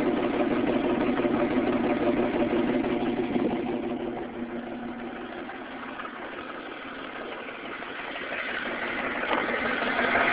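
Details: 1998 Ford Mustang V6 at idle before engine rebuild: idle stumbles in a repeating uneven beat about three times a second instead of running smooth; cylinder misfire.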